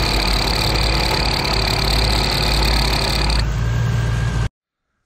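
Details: 15-year-old ARB CKMAT12 twin compressor on Jeep CJ over idling engine, airing tires to 36 psi: fast rattling grind about four beats a second, like marbles in a grinder, pump blowing fuse; worn piston bearing, kit 320303.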